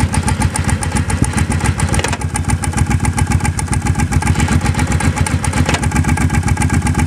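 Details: Engine idling with a steady low thump and a couple of sharp clunks every few seconds; source not identified.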